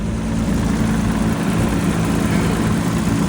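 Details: BMW E34 M5, 336,000 miles, sat about 8 months in woods, started on jump box: even smooth idle, low steady hum with clutch fan rush, no knocks, ticks or misses; sounds healthy.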